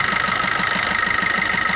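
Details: Maruti new Swift diesel idling with regular knocking and white smoke when revved: sharp regular knock about five a second over harsh clatter; injector no. 1 return about double normal.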